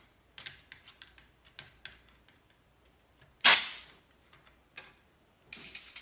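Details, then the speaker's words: 2002 Chrysler PT Cruiser A/C system: sharp hissing bursts over quiet handling clicks as gas escapes under pressure from the suction line, first thought to be the compressor; refrigerant leak, rubber lines suspected. "well first of all let's go do this again this thing's leaking like a sieve"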